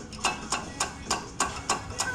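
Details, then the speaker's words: Integra, rapid clicking only under light braking when slowing, none at firm stop: sharp light metallic clicks about every quarter second, consistent with wheel rotation; caused by loose brake pad shims moving in the caliper. "and so when i'm applying the brakes it's you know clamping clamping clamping and it's giving it enough that it's moving every so often"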